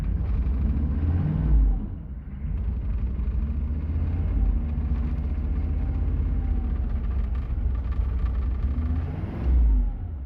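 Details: 6.5L diesel idling cold with a deep, uneven rumble and two brief revs; rough idle, engine shaking, slow to warm up, white smoke below 2,000 rpm.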